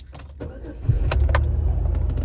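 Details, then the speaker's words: 1999-2005 Pontiac Grand Am with Passlock 2 no-crank no-start from a bad ignition lock, after 10-minute security relearn: engine catches and settles to steady even idle, security light off; normal start. "And it's running again. And our light's off."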